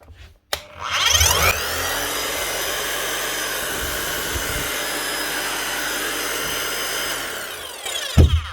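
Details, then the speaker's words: Bosch GSH 5 CE demolition hammer after full service and rebuild with new motor under warranty: motor spins up to clean steady high whine and winds down, no grinding or rattle; runs like new, normal. "Sounds good. [Music] I just make sure she hits right. Nice one running like a new hammer."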